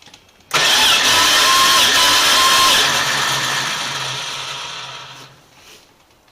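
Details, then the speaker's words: 1979 Chrysler 300 during compression test; about five seconds of steady starter cranking without firing, even rhythm; readings about 115–119 psi, all cylinders over 100, compression even. "so they're they're getting about 119. what is that well we're still over a hundred on all of them maybe 100 yeah so it's like 115 115."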